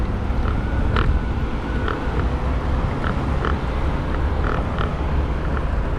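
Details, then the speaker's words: Z8 electric scooter with solid rubber tyres riding over cobblestones: deep rumble with irregular sharp light clacks as the loose rear fender slaps the solid tyre. Otherwise no noise; rear fender rattle. "on the cubic stone only the wing on the back is heard on the solid rubber but otherwise nothing, nothing"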